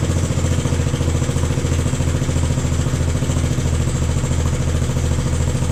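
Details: Jacobsen Chief 1000 tractor, Kohler single-cylinder (K241 fuel system work), after draining gas and new fuel line: even unbroken thump about 3.5 beats/s; took a few cranks to get gas flowing, runs pretty good.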